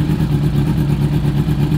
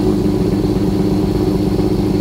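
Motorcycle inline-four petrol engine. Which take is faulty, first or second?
second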